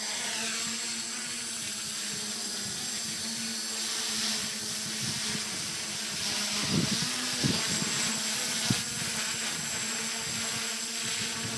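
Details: Roel's F450 multirotor test flight after rebuild from F550: even high whir from spinning rotors holding steady with only brief dips; motors running smoothly.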